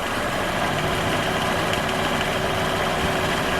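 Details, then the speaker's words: Light, quick metallic tapping from the belt side at idle, worse with the A/C on and not heard at higher rpm; not from the A/C compressor. Traced to the drive-belt tensioner pulley; replacing the tensioner and belt removed the knock. "начинаю пробовать вот этот ролик понимаю что его дёргает и он стучит"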